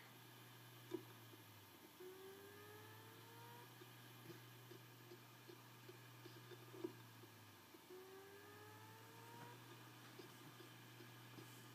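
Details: Failing iMac hard drive at power-on: whirs up in a rising tone, clicks, stops and retries every few seconds; the OS never boots, only about one start in seven succeeds.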